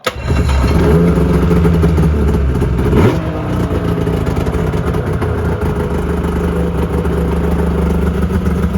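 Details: 2001 Yamaha Venture two-stroke snowmobile after cylinder repair and carb cleaning (jets were clogged), electric start: revs hard about three seconds then settles to steady even idle, running clean.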